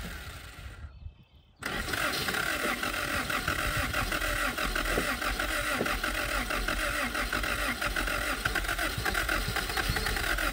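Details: 1977 Honda Civic, last registered 1987, first start in 37 years, no fuel system, fuel poured into the carburetor while cranking: quiet cranking, catches under two seconds and keeps running rough.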